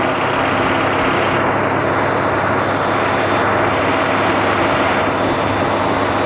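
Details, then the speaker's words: Fully rebuilt Buick-derived aluminium Rover 3500 V8 in a 1980 Rover SD1, first run with fresh paint burning off the manifolds: loud, even roar, louder and smoother than before the rebuild, with no knocks, misses or ticking; healthy and balanced. "Non suona male, però. - Suona bene. È molto più rumoroso di prima. Molto più forte. - Sì. - Anche molto più dolce."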